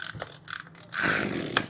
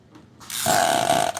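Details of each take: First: Sprayer engine recoil starter, pulled with the cover off after repair to check whether an odd noise when cranking remains: a few quick, smooth ratcheting pulls free of the scraping. The recoil start sounds normal. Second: Sprayer engine pull-started gives a short hissing, whistly puff, a strange sound.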